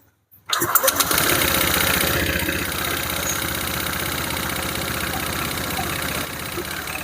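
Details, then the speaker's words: Honda Vario 150 scooter engine with the CVT components removed: starts and idles loud and rough, with a harsh clattery rattle and uneven idle; noise persists, so CVT ruled out; cam chain tensioner suspected, unconfirmed. "Oke teman-teman setelah kita lepas di bagian area CPT komponen di bagian area CPT ini suaranya masih masih ada masih nyaring suaranya berisik berarti masalahnya bukan di bagian rpti secara logika"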